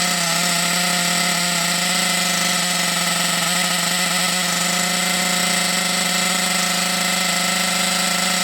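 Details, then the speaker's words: Thunder Tiger EB4 S2 Pro nitro RC buggy, eBay shed find stored for years, engine hot, reasonable compression; high buzzy engine runs well but revs wander slightly up and down. "oh man that is brilliant that runs really really well yeah it's a little bit sporadic a little bit up and down but you got to remember it's been stuck in a shed for years"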